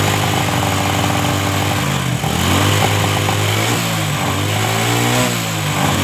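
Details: Honda Supra 125 motorcycle after carburetor repair: the float needle was shimmed because the carb was flooding, and the air screw was adjusted. Small single revs return cleanly to a steady idle with no stumble. The earlier hesitation from fuel starvation is fixed; normal idle and revving.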